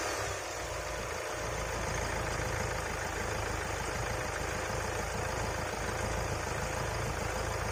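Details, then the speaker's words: 2022 Kia Carens Prestige 1493 cc diesel running with an even low rumble and no knocks, rattles or ticks. It is a quiet, healthy, normally running diesel engine. "कि Dubai diesel engine होने के बावजूद भी जो requirement है वह आपको जबरदस्त यहां पर मिलता है किया पेरेंट्स में"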